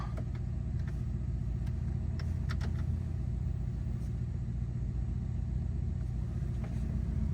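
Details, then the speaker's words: 2011 Ford Crown Victoria 4.6L V8 just after throttle body cleaning and new spark plugs and ignition coils: deep, smooth idle rumble with steady even pulse, no misfire stumble or ticking, no check engine light; normal idle. "Yeah, that sounds normal. So, you want to let your car run for about 15 to 20 minutes like that. Let everything get back to normal so it's not idling rough. Everything sound good though."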